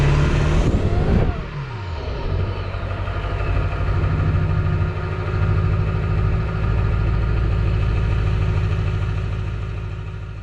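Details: 2002 Ford F-350 7.3L Power Stroke diesel after freeing a stuck fuel filter, priming the filter bowl and adding Sea Foam: brief crank, then it catches and settles into an even, steady idle with no misses or knocks. Healthy start.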